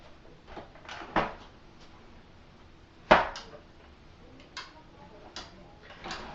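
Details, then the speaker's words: Dyson DC17 upright vacuum: one sharp click as the handle reclines, then faint handling taps; normal brush roll on/off engagement click, which can cycle the brush roll sporadically for tall users. "and that click is essentially the brush roll onoff engagement"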